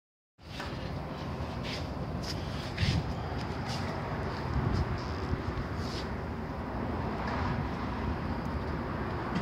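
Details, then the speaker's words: 2008 Toyota Camry, driving: low dull rumble under road noise from a worn, not-smooth rear hub bearing; both sides replaced with new hubs. "Okay, habbeweering, rear habbeweering. Can make a noise. It's not smooth."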